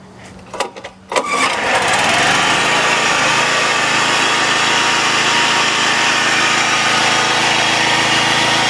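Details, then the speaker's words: Honda HR194 lawnmower started on choke gives a fast high idle with a harsh steady screech, very bad with the blade disengaged and somewhat less once the blade is engaged; a dragging blade clutch is suspected. "when the blade is not engaged it makes a very bad squealing sound and then you engage the blade and the sound isn't as bad but it's still pretty bad"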